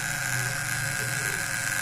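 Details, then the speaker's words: Homemade fish-shocker vibrating contact breaker (platina) at about 40 volts: a harsh, uneven buzz with a high whine, large sparks and unstable light; rough running with heavy arcing. "Nah suaranya kasar teman-teman ya kemudian percikan api di Filipina juga besar teman-temannya"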